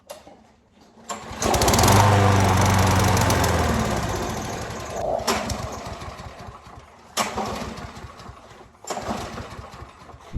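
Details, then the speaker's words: Lawnmower engine, before carburetor float bowl cleaning: catches briefly on the pull, sputters and fades out, then is pulled again; not enough fuel reaching the engine, so fuel starvation. "clearly you can see that I have not enough fuel in my engine"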